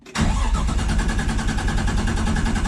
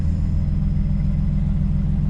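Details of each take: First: Forged 550hp RB25DET in an R33 Skyline cranks evenly for three seconds without firing despite spark and fuel added; the owner suspects the fuel hose inside the tank has been eaten up again, causing fuel starvation. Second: Forged 550hp RB25DET in an R33 Skyline idling after starting once the fuel system was re-primed following a fuel-line problem; a deep, even burble with steady pulses and no stumbles or misses.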